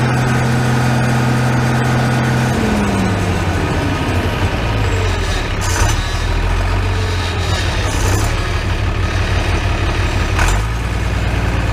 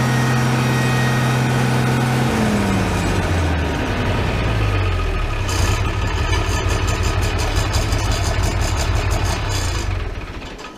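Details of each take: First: Farmall 806 diesel tractor with new MCV hydraulic pump, after hydraulic filter change, air possibly still in system: steady idle with faint hydraulic hum on top; only slight pump noise remains. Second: Farmall 806 tractor running before a hydraulic filter change: heavy engine note with a thin steady whine over it; hydraulic pump whine, filter suspected, not confirmed.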